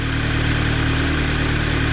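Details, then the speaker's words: Audi TT 2.0 TFSI idling after replacing PCV valve: steady, even, smooth low drone with no misses, knocks or ticks; owner thinks it may sound smoother than before; normal idle after repair. "so there you go then as you can hear the TT is up and running behind me and it actually does sound a bit better"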